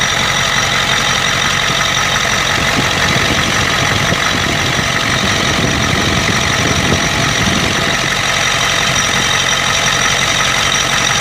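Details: 1992 Ford 7.3 IDI diesel idling loud and rough with an uneven, stumbling beat, heavy clatter and an injector-like knock. The random misfire comes with intermittent blowby. Teardown found broken second rings on two pistons and one bad valve guide.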